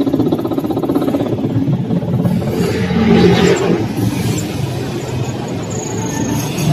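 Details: Washing machine spin dryer motor, mounted to the gearbox, tested after repair of a spin dryer fault: steady motor whir building to a smooth, even spin with no scraping or clunks, normal spin operation.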